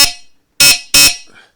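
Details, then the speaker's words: Triumph Sports Cub project bike's newly wired horn: three short, sharp high-pitched blasts with quick cutoff; horn working, part of completed lights, horn and stoplight wiring. "So, we've now got a full set of lights and uh horn and stoplight."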